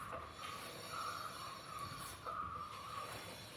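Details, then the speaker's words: Mahindra KUV100 with a complaint of an intermittent metallic noise from the front: the left front wheel, spun by hand, turns quietly with a light even hiss and no scraping or squeal. Quiet brake with no rubbing; the noise was on the right side. "ഇത് കറക്കുന്ന സമയത്ത് വേറെ സൗണ്ടോ കാര്യങ്ങളോ ഒന്നും കേൾക്കുന്നില്ല"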